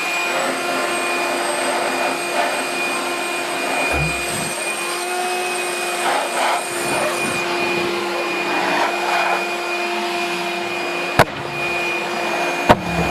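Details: Homemade pulsejet on its third run attempt, with a new ignition circuit (new coil, HT lead, fixed condenser) and a tuned fuel rail: a loud steady roar with a constant high tone on top, running on its own and sustaining.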